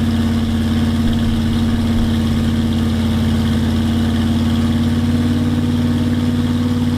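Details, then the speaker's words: Turbo 360 FE Ford F100 during a troubled cam break-in, hard to start, something rubbing, getting hot: loud, lumpy, labouring beat with no crisp response; timing chain later found jumped, timing couldn't be set, pistons touched valves. "It must have jump time and that's probably why this thing was so hard to get running and ran like absolute and it didn't seem like we could get the timing right at all."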